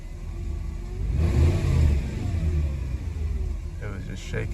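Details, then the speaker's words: Mercedes W124 E420, M119 4.2 V8, surges up unevenly, then hangs and stumbles with a shaky note. Owner is unsure and suspects moisture in the other distributor cap after sitting. Rough running and surging. "oh nope see yeah it's not happy not happy I'm not sure what's going on guys"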